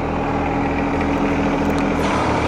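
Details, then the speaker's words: John Deere 1025R diesel drones heavily under load as the front-end loader stalls about 6 inches off the ground and the engine struggles, caused by a hydraulic quick-coupler that isn't fully engaged. "it seems like something is stuck when i raise it from a certain point it stopped right away and you can hear the engine uh struggling when"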